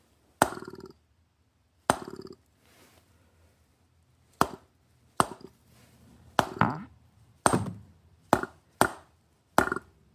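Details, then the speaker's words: MAC AH650 air hammer, unused about 20 years, after a soak and a few rubber-mallet taps: about nine irregular sharp pops with rattling tails as the stuck piston tries to cycle, burping; seized air hammer piston freeing up. "You hear it burping? That's freaky. It's got like frogs in here."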